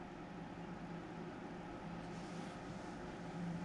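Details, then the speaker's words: Tektronix Type 127 preamplifier power supply under repair, powered on after the time-delay relay pulled in, with the +100 V rail reading a high 113 V: a quiet, steady low buzz over a faint hum; source of the funny noise unknown. "Uh-oh, that doesn't sound good. Something's making a funny noise. Should I worry about that? Maybe not."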